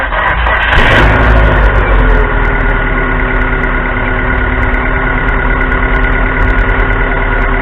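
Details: 2.0 L 4-cylinder Neon with a dead battery, jump-started by a recharged Stanley Fatmax 700 peak/350 A pack after waiting about 10 minutes: engine catches after a short burst and settles to a steady, even, smooth idle with no misses.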